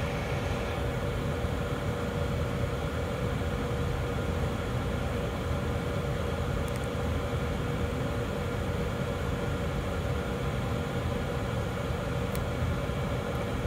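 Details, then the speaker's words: 2012 Chevy Equinox with the new blower motor installed, replacing one that clicked and cut out intermittently: steady, even rush of air with a smooth low hum, no rattle or squeal; the blower comes on fast and runs normally. "oh that is much better you hear how fast that came on"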